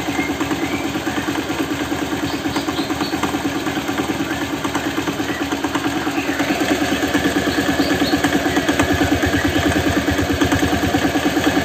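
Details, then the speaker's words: Older Honda Vario scooter at idle: smooth engine with a sharp, even tok-tok knock about three per second, coming from the middle of the engine rather than the CVT side, clearer with the exhaust blocked; oil about two months old. "nah suaranya mesin halus-halus tapi kayak ada suara kayak tok tok tok gitu teman apalagi kalau kita tutup lubang knalpot ya ini suaranya jelas banget"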